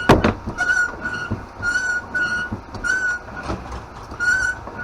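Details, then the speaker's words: Foot air pump used by hand to inflate a Huffy Panama Jack beach cruiser tire after 4 years sitting: sharp high squeals about once a second with each stroke, over hiss and clatter; pump squealing badly. "i'm not sorry that i'm like raping your ears right now this pump sounds like something is dying"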